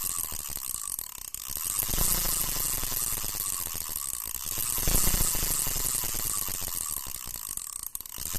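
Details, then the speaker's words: Vintage Japanese-made Olympic Surf-93 spinning reel, about size 5000–6000, turned forward by hand: fast, even clicking over a soft whir; very smooth, healthy reel. "ก็หมุนเดือนหน้ามีเสียงแบบนี้นะครับหมนื่นมาก"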